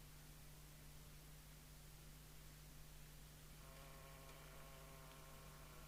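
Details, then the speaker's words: Jesan KT2002 UK CB27/81 mobile CB radio during alignment, 27.79125 MHz from a signal generator: a steady hum and hiss, then a faint musical heterodyne tone as the 10.695 MHz receive mixer crystal is adjusted to null the beat note. "actually we can hear it better if i hold that see whether we can null the musical note here we"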